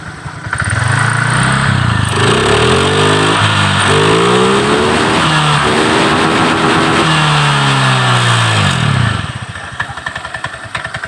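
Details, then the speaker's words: Motorcycle engine with milky, coffee-coloured oil overfilling from water contamination and fast-draining radiator coolant, revving cleanly. Several smooth rises and falls with an even, steady note and no knocks or rattles; the engine still sounds normal. "ini anda bisa mendengarkan suaranya masih halus semua masih wajarlah itu yakin ini wajar-wajar"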